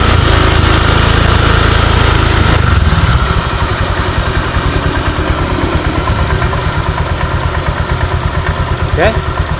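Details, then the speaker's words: Honda Vario 125 scooter: smooth while held at revs, then a steady knock near three per second appears at idle and vanishes when revved. Suspected loose flywheel or CVT, source not yet confirmed. "jadi di sini ketika stasioner ketika langsam di sini bunyi tuh tak tak tak jelas kedengaran teman-teman ya kita dekatkan Oke mudah-mudahan jelas terdengar jadi suaranya mirip suaraang Pak ya Setak namun ketika motor ini digas atat RPM naik ini suaranya hilang"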